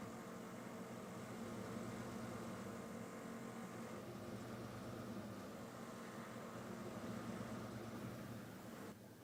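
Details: 1999 Jeep Grand Cherokee WJ 4.7 V8 with an unstable idle and a bad exhaust smell: the idle hunts slightly with an uneven, wavering note. Owner suspects a vacuum leak, but this is not confirmed.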